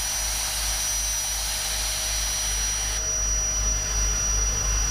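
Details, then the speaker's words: Unloading a 30ft powder tanker (isoveyor): steady rushing roar with a faint whine that thins out partway as compartment one empties and only air blows through the discharge line. "here in the whoosh again there it's a compartment one's empty"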